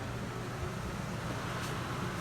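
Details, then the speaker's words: 2020 Forest River Cherokee 294BH travel trailer, thermostat set to high-speed fan only with the air conditioner not on: even, steady airy rush from the blower with no rattle or surging. Normal fan operation. "So high-speed fan, that's going to kick on the fan."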